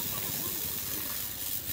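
A sharp, airy sizzle with no clear engine beat beneath it: water flashing to steam on a hot motorcycle engine. Cause suspected, not confirmed.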